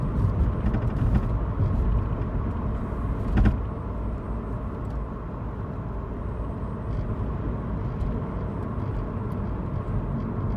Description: Unknown Rattling Noise From The Rear of my Car 🚘